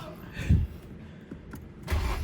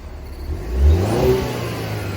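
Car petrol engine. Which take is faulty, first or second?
first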